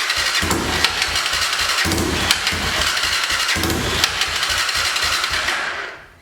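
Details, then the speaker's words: 2006 Honda TRX300EX ATV, sat a couple of years, said to need a carb clean, key on, choke supposedly on: fast uneven starter chugging about three per second, one faint pop, never catches; cranks, no start, cause unconfirmed. "So let's see will it even start. Hopefully it does, and we'll be able to see exactly what's going on with it. Key is on, choke is supposedly on. Got a pop."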